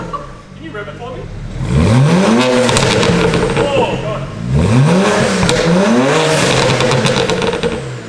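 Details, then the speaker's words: Warm BMW 335i with the N54 turbo engine, new downpipes and a soft tune; two sharp blips climb and drop cleanly with a deep, throaty exhaust note and a crisp return to idle. Healthy, strong revving. "Wo! Dude, that sounds pretty deep. Oh my god, dude. That's pumped like crazy."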